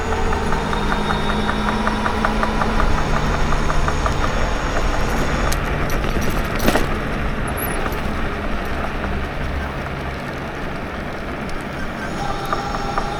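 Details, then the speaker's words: Electric bike rear hub motor, riding and coasting with motor off: light regular ticking about two to three per second under wind and road noise from the rear wheel; knocking while coasting, owner fears the motor is dying. "And see, hear that? I'm not using the motor right now. I'm just coasting and it's doing that."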